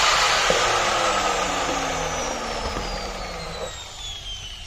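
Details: 4-inch angle grinder (Bosch/Hitachi batch), after repairing a cut blue wire that had been sparking: a high, smooth whine that slides steadily lower as it coasts down, with no grinding or rattle; healthy normal running.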